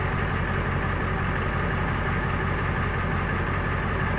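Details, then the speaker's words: Ford 7.3 diesel idling on a cold day after ICP sensor replacement, with a little white smoke at startup: steady, even idle with a regular low beat, the earlier hiccup gone, though lack of power and skip persist when driving. "this is possibly it's cold outside today you can hear now the hiccup is gone"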